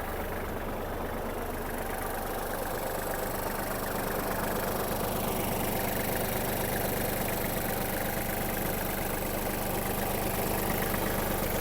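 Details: Kubota GL-29 mini tractor, 29 hp three-cylinder diesel, just started with the clutch pressed: a quiet, steady idle clatter with an even beat, no hunting or heavy knock, and no white smoke from the breather; normal idle.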